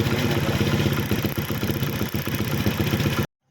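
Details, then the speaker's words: Old-model TVS Fiero single-cylinder after converting to a TVS Apache CDI and stick coil to fix a current supply problem: quick steady putter at about four beats a second, no misfire or clatter; normal idle after repair. "তাৰপিছত finally আমাৰ bike start হৈ গ'ল এই আৱাজ দিছোঁ accelerator plus one"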